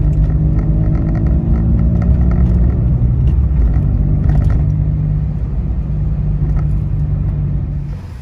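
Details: Citroen C1/107/Aygo with the removable DB killer baffle fitted in the repaired exhaust: soft, deep, even rumble with no rasp or drone; subdued, healthy exhaust.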